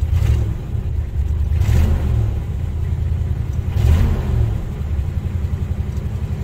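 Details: Ford Bronco with carburetor work in progress, restarted after the air cleaner was refitted and leaves cleared out. A deep, steady engine rumble with two short rev blips. It runs and picks up, but improvement is unclear.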